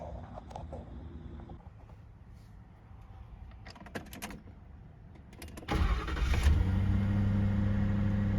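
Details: Car started after replacing seized AC compressor clutch bearing, clutch and coil and refitting the belt: quiet handling, then the engine cranks, catches quickly and settles into a smooth, even idle with no squeal or grinding; back to normal.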